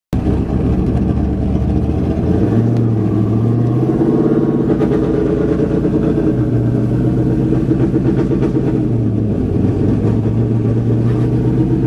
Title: Misfire/stumble